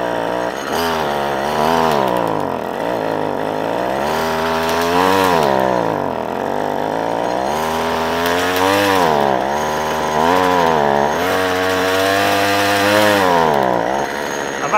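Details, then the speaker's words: Ryobi two-stroke strimmer, previously worked on, started on choke after eight primer pumps: keeps surging up and down every second or two and never holds steady revs; suspected fuel starvation from a blocked carburetor screen. "the first things you want to be doing is checking for spark arrestors all that sort of stuff but I've got a feeling in carburetor work new new diaphragm it's had the screen the screen done and it is a screen that would be the cause of bulk of all these problems"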